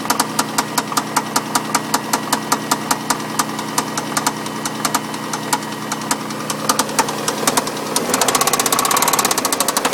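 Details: MG ZT at idle: sharp metallic knocks, roughly one to two per second, standing out clearly over the idle before the revs rise. Engine knocking, source undetermined.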